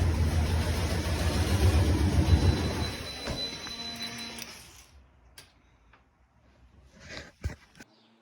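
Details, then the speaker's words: 1988 Ford Bronco XLT, 5.8 (351 Windsor) V8: rumbles unevenly about four seconds then fades and dies; stalling after start, owner says it runs, chokes and stalls, cause unknown. "I do have a running issue at this time. So when you start it up, it'll run, start to choke and stall out."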